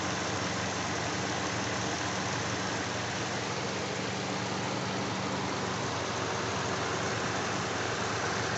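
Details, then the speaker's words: Hyundai i40 2.0 G4NA petrol engine at 41,000 km, warmed up after an overhaul with the block bored for 0.50 oversize pistons, which fixed a cylinder-scoring knock: smooth idle under a loud cooling-fan rush, only light injector ticking. "сейчас прогрели мотор и как бы окончательно и видео значит по ценнику вышла 94000 владельцу это без гильза фкис расточка блока под ремонтный поршень размером 050 почти работу двигателя включился вентилятор слышны только форсунки"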